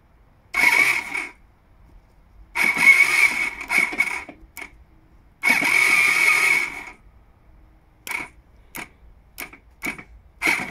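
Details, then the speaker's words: Honda ST1300 after alternator and starter replacement, starter solenoid bridged by hand: three bursts of high whirring of one to two seconds each, with quiet clicks after; starter and solenoid work, so the no-turn fault is electrical. "Well, that's a good sign. So we know it's electrical. Starter solenoid is okay. Starter motor is okay."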